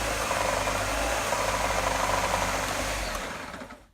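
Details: Gtech AirRam K9 cordless vacuum with temperamental switch and battery issues: rough fluttering rumble and rattle under the motor whirr, then spins down; always present and progressively worse; motor unhealthy, cause unclear.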